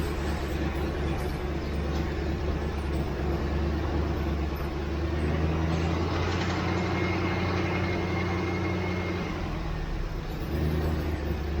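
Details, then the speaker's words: 1967 Ford Mustang V8, carbureted, restarted after months sitting, carburetor leaking fuel: deep, steady burble with no stumbles or knocking; normal running. "All right, I'm reasonably well convinced. Anyway, I'm pretty happy with that."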